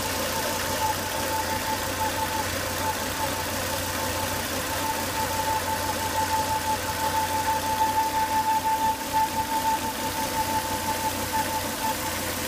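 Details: Volvo S80 2.5T engine after 10 to 20 minutes running: thin steady whistle over a quiet idle; high intake vacuum sucking at the oil cap from failed crankcase breather box, solved by replacing the breather box/filter.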